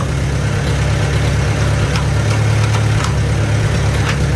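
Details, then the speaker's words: Farmall A gas tractor after magneto install and timing set, driving in second gear at about one-third throttle: steady low chugging, even firing, no misses, knocks or popping; normal running under load. "Second gear. About third throttle. Oh boy, sounds good."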